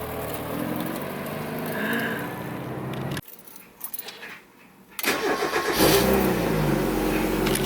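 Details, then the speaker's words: Mazda Miata with new engine swapped in after a knocking, ticking old engine: crank, clean catch, settled even idle with no knock or stumble; normal startup and idle. "healthy startup guys this is just the day after I got my car back really soon it's so so much smoother sounds better"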